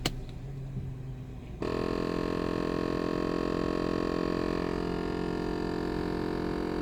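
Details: VW Passat with a large EVAP leak and a parking brake fault code: after a quiet moment, a steady electrical-sounding buzz from the right side switches on abruptly and holds an even pitch. The source is unknown.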